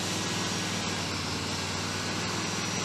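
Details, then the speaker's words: 1977 Cadillac Eldorado V8 during Hydro Boost bleeding: freshly started, settles into loud, steady, even run with no knocks or misses; sounds strong and healthy. "There we go. That sounds like something that wants to haul something."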